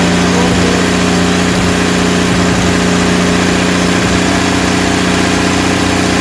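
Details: Rebuilt 230 six-cylinder at about 2000 rpm for cam break-in, timing about 10° advance, 40 psi oil pressure, 180° temp, no smoke; steady high-idle drone, firm even exhaust, no ticking; normal running, no lifter tick.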